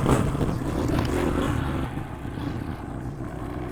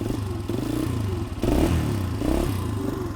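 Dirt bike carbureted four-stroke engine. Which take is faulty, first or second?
second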